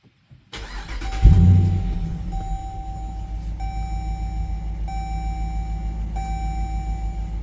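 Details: 2022 Dodge Durango R/T after a DIY engine swap replacing a blown engine, first starts: quick crank catches cleanly and settles to a steady, even idle without knocks or misses; a tick on early starts disappeared by about the third start.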